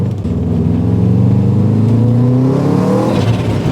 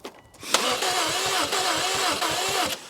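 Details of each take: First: Subaru STI drag build, driving under hard acceleration: revs climb smoothly and evenly with no stutter or flutter, and boost is now being controlled and feels normal; normal boost under acceleration. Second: Subaru STI that has sat about two years, cranked on a jump pack; owner hopes engine heat will unfreeze it and says the motor sounds a little odd: even quick starter chug, never catches; crank, no start; starting fluid considered.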